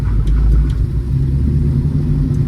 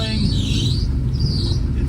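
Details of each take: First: 1965 Plymouth Barracuda, 360 V8 with Magnum heads and EFI, Tremec TKX five-speed, after timing curve correction: deep, even V8 rumble pulls cleanly off idle with no stumble or hesitation; throttle now works, normal off-idle response. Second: 1965 Plymouth Barracuda with a 360 V8 (Magnum heads, EFI) and Tremec TKX five-speed: deep, lumpy idle wavers unevenly and barely keeps running; timing and base fuel settings suspected.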